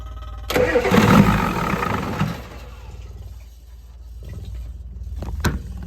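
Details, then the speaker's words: 1988 Ford F350 7.3 IDI diesel, sitting since the 1990s, restarting after first revival run: about a second of cranking catches into a lumpy diesel clatter settling to a quieter idle; won't fire on one hit, hard start. "Can't do it with one hit. Well, she lives. That's the important part."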